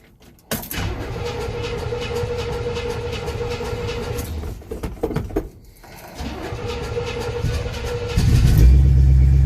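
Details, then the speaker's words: 1967 Chevy C10, odometer about 5881, cold start after sitting since Wednesday (2–3 days): a short crank, catches quickly and settles into an even steady low rumble with no misses or knocks. Healthy cold start. "this thing starts easy. Gets the gas pumped up into her, and away she goes."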